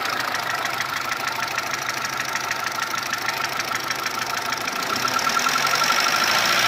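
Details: Mitsubishi 1.3 petrol engine after a rebuild with cylinder head and block replaced: steady fast metallic ticking knock, about three per second, over a quiet idle, slightly louder near the end; source unclear.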